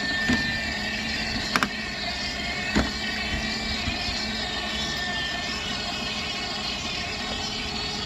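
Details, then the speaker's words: Dolphin S300i pool cleaner after cleaning and impeller repair, self-test: even motor whir with sharp irregular clicks as a drive track skips; track not fully seated or worn, refitting it seemed to fix it. "i think it's skipping i think that's what the problem is"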